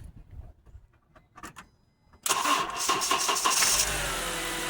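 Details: 2010 Honda Accord 2.4 with a no-crank fault despite a new battery and alternator, after reconnecting ground 301: the engine cranks briefly, catches cleanly and settles into a steady even idle; the bad ground was the cause.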